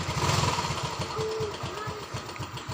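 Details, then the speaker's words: Yamaha Mio M3 / Soul GT 125 scooter with total electrical failure, fixed by repairing a broken red wire: after repair, starter starts engine, even steady low idle pulse, no knocks or misses, charging normal. "Sekarang kita coba starter lagi. Oke, dan motor menyala. Pengisian pun normal ya,"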